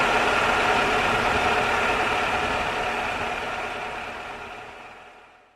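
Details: 2001 Toyota Camry after water bypass pipe leak repair and coolant refill: steady, even idle with smooth hiss, no knocks or misses, fading out; no coolant leaks underneath, engine sounds healthy.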